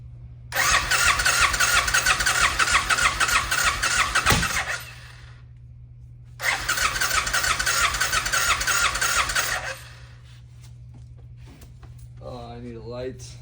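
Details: 1990 Suzuki VX800, sat a long time: two short bursts where it fires on carb cleaner spray and runs rough a few seconds then dies each time; fuel delivery fault.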